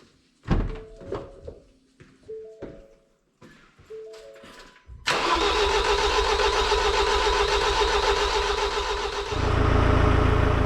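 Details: Ford Transit 2.0L EcoBlue after a wet timing belt failure and repair, with no coolant yet: a few short starter bursts, then steady cranking at about four turns a second that never catches, even with brake cleaner sprayed in; no start with the MAF sensor unplugged.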